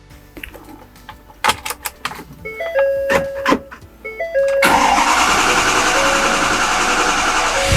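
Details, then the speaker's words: 2011 Ford Powerstroke diesel with an entirely new rebuilt engine, after repairing a harness fault that dropped the 5V sensor reference: after chimes and clicks it catches and settles into a steady, even run with no misses. Normal running. "shot that's more like it alright so you guys heard the truck sounds good seems to drive well"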